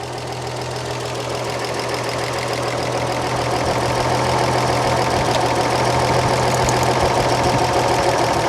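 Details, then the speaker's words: 1938 Chevrolet coupe six-cylinder, idling during running valve adjustment, exhaust set to 0.014 in clearance: steady, fairly regular light ticking over the hum; a front exhaust valve found set too tight. "And this one's awful tight. So you got to be real careful working on these front ones because your fan's right there."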